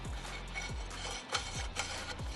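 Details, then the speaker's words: Eclipse with the transmission removed: the rear main seal has worked out of its bore and free-spins between the flex plate and the crankshaft, giving a rhythmic scraping rub about twice a second with light ticks. It matches the noise heard at first start, and heat marks show on the flex plate. "if you can hear that very similar to the noises that we were hearing when we first got the car started so pretty sure this is our noise maker"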